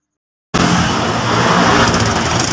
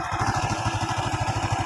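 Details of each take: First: Honda Revo Absolute single just reassembled, with valve clearance set to 0.5 mm: steady idle with sharp, raspy puffing over the exhaust note from a leak in the exhaust header pipe, not the muffler; to be sealed. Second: Honda Revo Absolute single, which seized from a broken connecting rod, after replacing the rod and piston: steady, even low thumping at about twelve beats a second, no knocks or rattles; smooth and back to normal.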